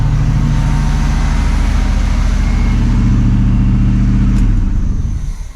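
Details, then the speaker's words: 1979 Camaro Z28 carbureted V8 at first start after carburetor rebuild and tune-up (new plugs, wires, cap, rotor): deep, steady burble at an even idle for several seconds, then the sound dies away. Running fine. "Just like that, y'all. Fires right up. Probably gonna sit here and idle."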